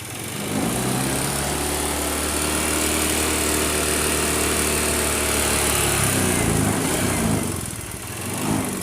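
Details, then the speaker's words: Honda Beat automatic scooter: harsh, rough idle with rapid tapping like piston slap or cam chain noise; cause found to be a spark plug that had worked loose. "Nah, suara mesin ini sangat berisik, seperti apa ya? Seperti piston, suara piston. Kayak piston dan seperti keteng ya, rantai kamprat atau rantai mesin."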